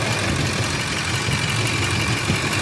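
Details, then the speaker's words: 2004 Ford F-150 5.4 V8, code P1131, misfires on cylinders 3 and 4: uneven lumpy idle with irregular low thumps; cylinder 3 recovers after reconnecting, cylinder 4 still misfiring with a loose connection. "mira ahí levantó el tres muchachos sigue fallando el cuatro"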